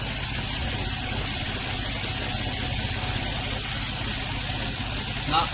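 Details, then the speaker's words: 2003 Nissan 350Z V6 idling with an uneven, stumbling low pulse and loud hiss; random misfire, code P0300/cylinder 1, after manifold, cam sensors, coils and NGK plugs replaced; test pipe found leaking badly before O2 sensor, causing lean running. "okay guys I've been having a misfire p300 showing up this can be very frustrating especially the Z owners beautiful car just have a hard time with it"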